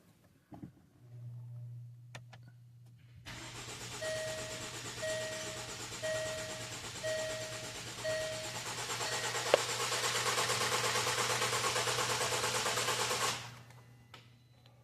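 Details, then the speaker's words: 2016 Range Rover, first cranking after teardown and timing repair for timing codes, adaptations reset, coils unplugged: steady even cranking about three turns a second, smooth starter whir, no knocks or clatter; normal cranking. "Okay, so that sounded good."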